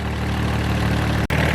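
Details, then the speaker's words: Infiniti G35 at idle: light fast tick over the engine hum, owner says it's the lifter and will fix it soon. "i know you hear that ticking sound it's the lifter don't worry i'm going to fix that soon"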